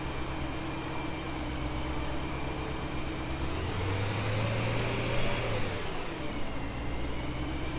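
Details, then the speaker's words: BMW E92 M3 after replacing cylinder 6 ignition coil (Meat & Doria) and spark plug for a cylinder 6 misfire/EML light: idle stays lumpy with an uneven low throb and a brief rev that doesn't smooth out; the new coil was faulty. "So it turns out that Meat and Doria ignition coil that I bought actually isn't any good. It kind of broke on us."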